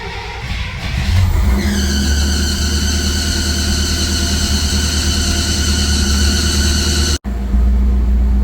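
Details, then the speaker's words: Rambler about 60 years old with Holley Sniper EFI fitted three years ago, needs some cranking before it starts, then a steady rumble; high squeal fades out, factory rebuild alternator can't keep up with EFI load, upgrade needed. "So we started up, took a little, it did take a little bit of turning over to get to start."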